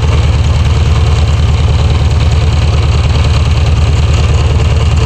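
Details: Air-cooled VW Beetle (Type 1) engine idling evenly with a low, regular thump about twice a second from near the alternator pulley. The owner suspects an off-centre, wobbling alternator pulley needing replacement.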